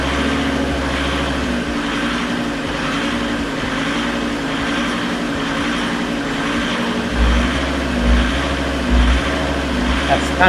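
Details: Fiat Marea 130HLX, long stored in a workshop, first start after revival: with the code light off it starts but first cuts out, and needs throttle. Now the idle swells and sags about once a second, hunting and never settling. Owner suspects something left off; unconfirmed.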